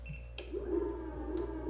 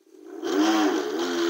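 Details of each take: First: Segway Ninebot G30P kick scooter after rear hub motor/wheel replacement, showing 30 km/h: a faint, smooth electric whir at steady pitch with no grinding or clicking; the new motor runs quietly and healthily. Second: Segway Ninebot G30P kick scooter in sport mode, rear wheel lifted, full throttle, before motor/rear wheel replacement after 2.5 months broken; harsh, buzzy whir with several rough tones. Abnormal hub motor noise under load.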